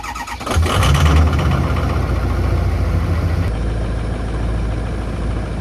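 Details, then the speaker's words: Diesel dually truck, cold and not started for 3 weeks, started after glow plug heating: brief crank, then a rough, heavy, smoky low idle with deep knock; cold start after a long sit, owner suspects blown head gaskets. "Long though, cold. Ain't started in 3 weeks. Glow plugs are heating right now."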